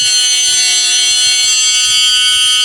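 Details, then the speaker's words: RC Promoto bike after teardown and reassembly: steady high-pitched flywheel whine holding one tone while rocked, no longer changing as before; owner suspects a loose part fixed by tightening; normal flywheel whine. "the sound isn't changing um when I was outside and I did this this town changed a lot but it's no longer doing that so it sounds good maybe something was loose and where I tightened everything up it works fine"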